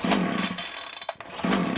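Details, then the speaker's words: Titan two-stroke strimmer, cold start primed six or seven pumps, half choke: sputters in uneven bursts, sags nearly to nothing, cannot hold a run and dies when taken off choke; carburettor fault suspected, later fixed by carb swap. "we're going to choke it cold start turn it on that's bad it so I put on to half choke as it [Music] fired and that is all we're getting out of this machine nothing more nothing less"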